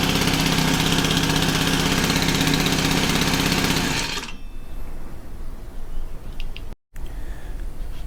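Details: Honda FG110 tiller, GX25 engine, idle raised high during carb tuning: quick, even high idle for about four seconds, then shut off; runs smoothly, normal.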